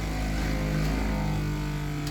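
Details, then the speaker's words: Replacement Jabsco water pump on a Boston Whaler 380 after two failed pumps, newly installed: steady low electric hum, even drone without stalling or chatter, pressure switch cycling; normal pump operation. "can hear oh see there's that switch it's working so let's fire up our hose right here quick she's alive working good"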